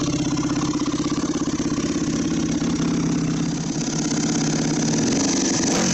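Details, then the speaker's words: Yamaha WR400F, restoration project, radiators off, on a temporary fuel supply: loud, fast, steady idle thumping about three beats a second, holding a touch higher than it should; owner says idle might be a bit high. Cause suspected, not confirmed. "so I guess let's uh start it up and see how it runs now a might be a bit High"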